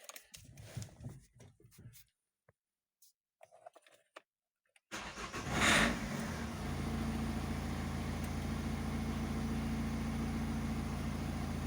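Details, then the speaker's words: Opel Combo 1.7 diesel, formerly crank-no-start with code P0251; air leak found under blue tape in the fuel line, hand primer bulb fitted and system bled; quick crank, catches at once, even idle; normal start. "Ну, але машина заводиться чітко."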